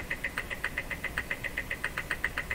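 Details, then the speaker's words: Jewel Model 505 vacuum tube clock-radio: fast, even ticking about seven times a second with a thin high buzz on each tick from the clock motor; noisy clock motor, doubtful it keeps accurate time, cause unclear. "That can't be keeping accurate time."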